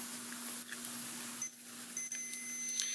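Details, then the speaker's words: 1988 Caldor MTD lawn tractor, 8 hp Briggs engine, multimeter on a deck interlock switch: thin, steady high beep over low mains hum shows continuity; switch normally closed. "all right so these are normally closed"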